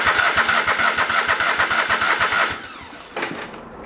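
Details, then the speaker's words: Old lawn mower that sat for years, brake cleaner sprayed down carb neck: fast even cranking about three beats a second that cuts out, then a brief catch; getting some fuel but not much, fuel pump or lines suspected. "i'm getting some fuel but it isn't great"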